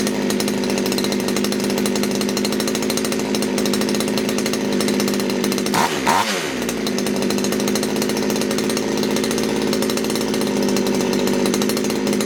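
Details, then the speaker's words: Poulan Wood Shark chainsaw with a no-start problem, after the low jet was leaned out slightly: screams at a high, steady race with a brief dip and recovery midway; flooding, owner suspects a sticky needle and seat. "see if it fires back up it's flooded again I'm seeing um probably a sticky needle and seat"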